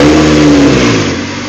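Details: 2001 Honda CR-V 2.0L during a manifold vacuum test, exhaust opened up after low vacuum readings, now about 21 inches at idle. A single quick throttle blip rises crisply and drops cleanly back to a steady idle with no stumble: normal throttle response.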